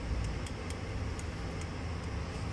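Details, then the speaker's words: Yamaha Raptor 700cc ATV with a noisy engine, valve cover off: a light quick metallic valve tick over a low thrum. Valve clearance was found too large and was adjusted, e.g. 0.09 to 0.08. "niyo yung lagitik ng barbula y so yun yung tumutunog so i-adjust lang natin yan mamaya"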